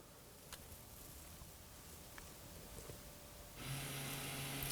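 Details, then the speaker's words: 2018-2024 Toyota Camry, key on, brake applied, parking brake lever held in service mode: near silence, then a steady low electric whir for about 10-12 seconds as the rear electric parking brake retracts normally before brake service. "And you're going to hear the parking brake disengaging in the rear. It's going to take roughly 10 to 12 seconds for that to stop."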